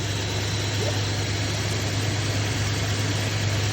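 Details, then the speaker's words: 1967 Barracuda after ultrasonic-cleaned carburetor, temporary gas supply, probably sat about 20 years: deep, even idle with steady low rumble, no knocks or misses; runs healthy. "Firing right up? Right up. Pretty good, eh? Yeah, man. Right on. That sounds pretty good."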